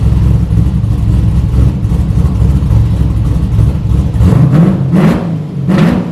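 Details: 1972 Buick Skylark with a stock 5.3 V8 and cam: choppy cammed idle, then three quick throttle blips that rise cleanly and settle, running strong. The O2 sensor reads as unplugged and needs changing, after which it should run even better.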